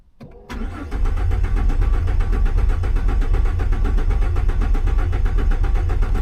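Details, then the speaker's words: Base-model V6 Ford Mustang fitted with a large turbo, 63,000 miles: steady starter cranking, about four compression beats a second, with no firing at all; cranks but won't start, sounds like no fuel, though it has gas. "it sounds like it's got no fuel she sure don't run"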